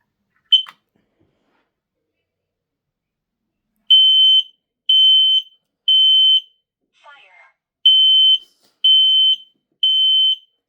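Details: Kidde KN-COSM-BA combination smoke and carbon monoxide alarm with voice, under test: shrill high beeps in two sets of three, normal working unit.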